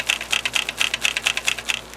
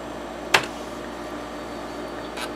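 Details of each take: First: Used TEAC FD-505 3.5/5.25 combo floppy drive tipped while still in bubble wrap: sharp uneven bursts of light plastic clicks from something loose inside, feared to be a loose or broken drive head, likely a broken snap piece. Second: TEAC FD-505 combo drive, 5.25-inch drive B head seek test: short even buzzing seeks about every third of a second over spindle hum; slight noise but normal.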